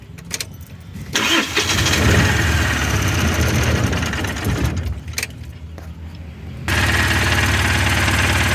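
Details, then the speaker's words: Mahindra Supro diesel, which would not start with no trouble codes, after the faulty rail pressure sensor was found: brief crank, catches in about a second, then settles into a steady even idle with no stumble. "देखिए यह गाड़ी जो है start हो गया इसमें जो rail स खराब था ठीक है"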